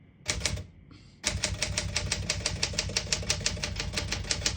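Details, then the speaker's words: 1965 Smith Corona Sterling manual portable typewriter, single line spacing, typing with black ribbon: crisp, even key strikes about three per second, no skipping or sticking. Working properly. "you can see, all the keys type nice and none of them skip or stick."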